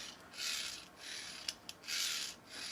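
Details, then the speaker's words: Neato robot vacuum wheel drive after a "wheel stuck" complaint: dry, rasping whirr in short bursts with sharp ticks; these gears sound drier than a smoother comparison unit, possibly less lubricated, though readings showed no fault and the issue was gone. "it sounds like these gears are a little bit more dry than mine are"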